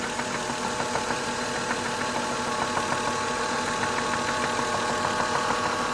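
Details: 2003 Lexus GS300 at idle: sharp, regular knock about three per second over the idle, something inside the engine knocking; cause unknown.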